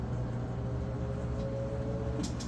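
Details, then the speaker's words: Samsung king size top-load washer, rinse cycle with heavy towels load, drain running while drum steps up in increments toward extra high spin speed; steady motor hum with faint tone climbing in small steps; normal spin cycle. "you can hear it speed up there it's getting faster and faster and what happens is the drain's running so as it speeds up more and more water is getting pulled out of the clothes"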